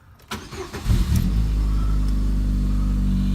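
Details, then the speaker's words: 2000 Chevy Cavalier, about 103,000 miles, start-up: brief crank, catches, then deep, loud droning idle with heavy low rumble; loud exhaust from known muffler issue. "I heard does have a muffler issue so it may be loud"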